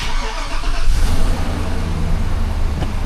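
A petrol truck engine catches quickly and settles into a steady, even low rumble.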